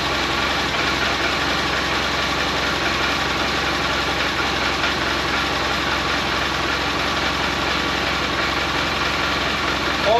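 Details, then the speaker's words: 2012 Polaris Ranger 800 six-seater, revived with new parts, just after first start. Steady, even twin-cylinder idle with constant busy mechanical note, no knocks or misses; normal idle. "crap, does that sound good. Go open the garage over there."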